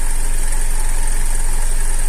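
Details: Opel Antara facelift, 2.4 naturally aspirated petrol, AWD, original battery, at idle: a fast, light metallic chatter rides over the low engine hum, a timing chain rattle from a worn, slack chain.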